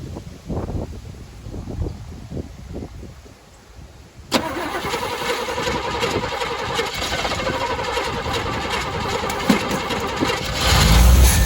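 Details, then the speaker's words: 1985 Chevy C10 pickup, 305 V8 with Quadrajet carburetor, just after a slight clockwise distributor twist: quiet cranking, then it fires and settles into a lumpy, uneven, smoky idle that never smooths out; still running rich and flooding. "still flooding down man still not there yet y'all"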